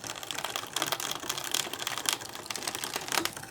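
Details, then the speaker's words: Brother ScanNCut cutting heavy crepe paper: irregular sharp smacks and clatter from the cutting head as it moves, with no steady rhythm; loud knocking of unknown cause. "Listen to that noise it's making. Holy cow smacks. What is that awful noise?"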